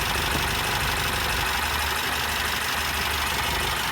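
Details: 2022 Mercedes Sprinter M274, 237k km: rough idle with a loud rushing hiss of blow-by from the open oil filler; cylinder 3 misfire, compression 90-120 psi cold and 60-90 warm versus 140-150 elsewhere; engine needs replacement or rebuild.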